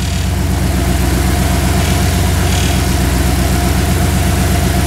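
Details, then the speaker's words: 2nd-gen Dodge Ram 1500 with swapped 5.7 HEMI, Holley Terminator X EFI, warm at about 185–191°F as electric fans switch on: loud idle with fast even rattle about four per second; fan suspected rattling on shroud, unconfirmed. "our fans just came on oh man we got rattles that's it I'm returning it to eBay where is it rattling from there's a little Gap oh the fan is rattling on the Shroud"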